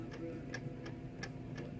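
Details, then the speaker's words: Torque converter jiggled back and forth by hand during transmission install gives sharp, light clicks about every third of a second; it usually takes three clicks, which usually, though not always, means it is fully engaged in the pump. "you hear it clicking usually that means it's all the way in a pump not usual not a hundred percent of the time"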